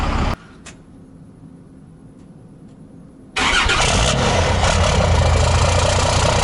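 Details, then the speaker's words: 2008 Ford F250 with a swapped-in 5.9 12-valve Cummins at its first start in the truck: after a short crank it settles into an even, steady diesel clatter with a steady tach and no misses or knocks; healthy idle. "I gotta get this thing running good. Check out that tack. Steady as she goes."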